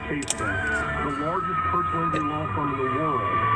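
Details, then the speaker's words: Kia Soul car radio on AM: high steady whistle over hiss and warbling tones when a USB charger is plugged into the cigarette lighter socket, gone when unplugged; charger causing radio interference. "and you can hear that whistle, and as you take it out, it goes away."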